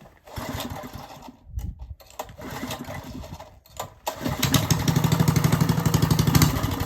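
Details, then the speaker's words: Old Briggs & Stratton engine with its coil swapped from another old Briggs, started in cold weather with some choke: a few weak catches, then it fires and settles into even, steady chuffing at about four beats a second; running fine. "I started it up already. It starts. It just needs some choke movement to keep it running. I'm going to start it up and show you, prove that it runs now."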